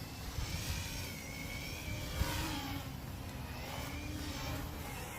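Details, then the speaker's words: Bugs 6 quadcopter hovering after props were tightened: steady prop buzz with a wavering, deep whine over it; abnormal motor noise, owner suspects motors going bad, possibly from crashes; flies but leans to one side. "but it's got a weird sound I don't know what that sound is maybe when my Motors are going bad"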